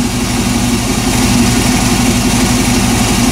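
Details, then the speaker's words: 1998 Chevy van 5.7 V8 after intake manifold removal and injector repair, codes P0300, P0171, P0174, stalls when put in gear: uneven loping idle with faint airy hiss, super-lean mixture, improves at higher rpm; intake manifold vacuum leak suspected. "я предположу парни что это подсос в коллектор смотри на это да дядь это супербедная смесь"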